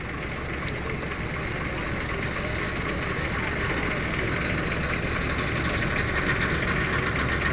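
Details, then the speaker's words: S700 12-wheel low-bed diesel truck just started, steady even diesel clatter at idle with no smoke, misses or heavy knocks; runs smooth and soft; normal diesel idle. "เริ่มมาแล้วนี่สตาร์ทเครื่องนะครับนี่ไอไม่มีแล้วก็เสียงนิ่มๆเลยครับ"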